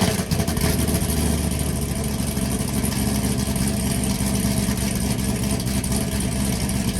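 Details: 2016-2020 Camaro SS V8 with stock muffler, after replacing a leaking exhaust gasket (the ticking was first thought to be a lifter): deep even burble, smooth rev, no ticking or tapping; it sounds healthy.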